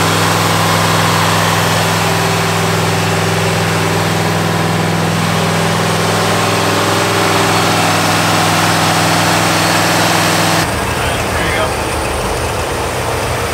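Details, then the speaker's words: 1985 Pontiac Firebird Trans Am, crate Jegs 350 carbureted V8, during mixture-screw tuning: deep steady idle with an even, unbroken beat, no stumble or miss; idle was high, choke now open, running much better. "so it was idle just way high but now the chokes open its say it's already running way better than it was before"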